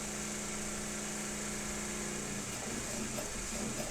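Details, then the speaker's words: Synchronous motor under load with field current cut to near nothing: steady hum breaks into clunking, rough uneven pulsing as speed jumps around, slipping poles out of synchronization; magnetic link re-establishes when load is removed. "and then it jumps up and you hear it clunking and the speed jumping around then when we take the load back off it reestablishes it reestablishes that magnetic links"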